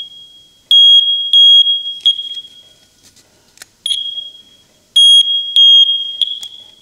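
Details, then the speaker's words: First Alert smoke detector, taken apart as faulty: sharp high-pitched chirps in short pairs every second or two, beeping continually with no visible fault on inspection; owner suspects the smoke-entry area inside and plans to blow it out with an air hose. "Something is causing this to beep. I wonder if it's inside here."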